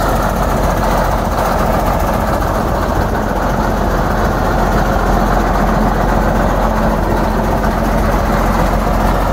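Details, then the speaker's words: Heavy diesel idling steadily and roughly with a faint puffing exhaust leak at the manifold, which has one broken stud. "It has a little bit of an exhaust leak, as you can probably hear. Now I got one stud broken, manifold."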